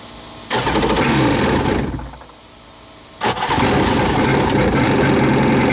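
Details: Wave Raider personal watercraft with new spark plugs and clean-looking carburetors, fuel lines, filter and check valve being checked: it fires on starting fluid, runs rough about a second, fades, then catches again with a crackle. Catches then dies; won't run or idle.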